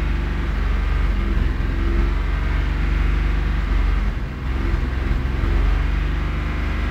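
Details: 1994 Isuzu Trooper revving; deep rumble with an uneven, stumbling beat and a brief sag around four seconds, a misfire.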